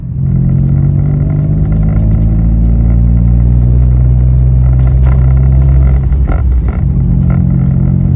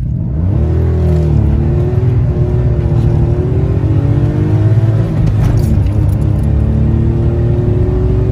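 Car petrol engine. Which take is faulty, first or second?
first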